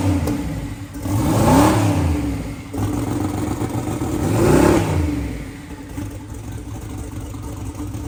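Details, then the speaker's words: Newly built twin-turbo door car's engine first start after fuel, water, injector wiring and driveline work: lumpy loud idle, two clean throttle blips, no knocks or misses; running normally. "This thing is finally alive. I don't know what you do that. How good is this? Bit of a long road over the past few weeks, but it's alive."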